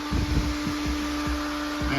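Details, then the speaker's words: Cooling fan for a belly-mounted radiator on a 1974 VW bus with Subaru engine, powered from battery: steady even whir, clean constant tone, no scraping or rattle; fan blowing well, running normally. "blowing really good that's push your fan from the top singing away here yeah sounds good"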